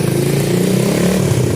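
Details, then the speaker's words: Coolster 125cc ATV, newly fitted engine not yet broken in, with a high-performance coil and a replaced bad petcock, revved with brake held and handlebar on leg: steady, busy single-cylinder drone, no knocks or rattles; fires right up, running properly. "I laid the handlebar on my leg and revved it up"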